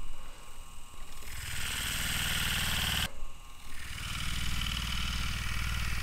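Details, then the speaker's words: Furnace/AC blower motor wired to an extension cord, running on high speed with no blower wheel fitted: smooth, steady electric hum at an even pitch with no rubbing or rattle, slightly louder than lower speeds; normal running. "on the highspeed you can actually hear the motor running a little bit louder with a blower wheel this would be a lot more pronounced"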